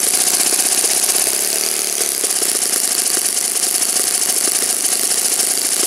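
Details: Saito FA-56 four-stroke glow engine, moderate-time, first run after teardown, cleaning and bearing replacement, 12x6 prop, OS F plug, Omega 5% fuel, tuning run: high, fast, even buzz with steady crackle, no misses or surging; running normally and cleanly.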